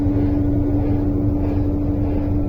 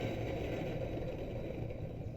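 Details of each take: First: Electrolux LTE12 washing machine, previously making loud noise, with the motor reinstalled after repair: a steady, even hum with a smooth low rumble and no grinding or rattle, so the motor runs normally. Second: Electrolux LTE12 top-load washer running after its transmission mechanism was replaced: steady rough low rumble with faint scraping from the motor, noise persisting; motor bearings suspected worn, not confirmed.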